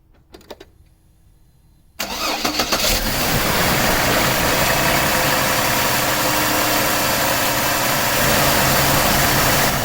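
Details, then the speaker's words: GM 4.2L I6 Vortec Trailblazer after replacing the VVT camshaft actuator solenoid for code P0014: quick crank, clean catch, then a smooth steady idle with no stumble. Starts and idles better than before. "I will say I immediately noticed it started a lot better than it used to. As you can hear, it's now idling a lot better."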